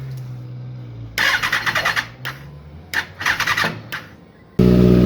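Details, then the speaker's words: 2019 Kawasaki ZX6-R, a totaled Copart bike, on first start with a freshly charged battery that tested good. The starter cranks in several long bursts with pauses before it finally catches, then runs really smoky. Hard starting, cause not yet found. "took a little bit but it finally started it's really smoky right now"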